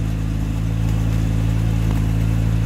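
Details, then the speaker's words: 1973 Jaguar Series 1 4.2, all-original engine, new electronic ignition replacing points, cold after sitting 3 weeks, choke on, about 1200 rpm: smooth, even low hum at a raised steady idle with no misses or stumbles; healthy fast idle. "Bearing in mind she is ticking over about 1200 revs because the choker's on."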